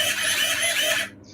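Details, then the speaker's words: RC plane elevator servo at full throw: harsh high-pitched strained buzz for about a second, servo binding as pushrod hits the horizontal stabilizer. Servo binding squeal. "You can hear it like squealing because the freaking push rod's hitting the horizontal stab."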